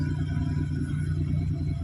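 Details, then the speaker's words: Perodua Kancil idling steadily at 1000 rpm after the headlight bulb was replaced. Before, turning the lights on dropped the idle to 700 rpm; now it holds 1000 rpm with low and high beam on, so the bulb can be the cause. "RPM 1000. Dan bila kita hidupkan lampu rendah RPM 1000. Bila kita hidupkan lampu tinggi RPM 1000 juga."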